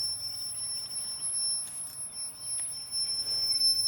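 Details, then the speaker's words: Old R-22 air conditioning system nearly out of refrigerant: thin steady high whistle over a faint low hum, probably refrigerant going past the metering piston; leak suspected in the dirty evaporator coil. "Y'all hear that? That's probably refrigerant going past that piston right there."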